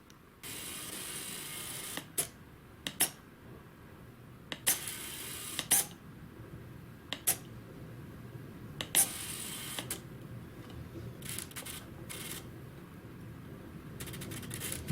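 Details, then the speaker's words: DIY thrust-vectoring ducted-fan tailsitter build, servo linkage into balsa with under about 1 mm play; short buzzy whirs as the servo sweeps fully end to end with no binding, stopping cleanly without straining at the stops, normal servo sweep. "can move fully to each end with no binding or resistance. When they get to the end, there's no, like, you can't hear the servo trying to push further or anything."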